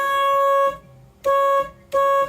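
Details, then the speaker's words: 1987 Chevy Corvette C4 horn after replacing the blown horn fuse: three short blasts with a single pitch and no second tone, so only one of the two horns works; rust on the horn contacts noted. "Okay, horn works. I only hear one going off, so the other horn isn't working."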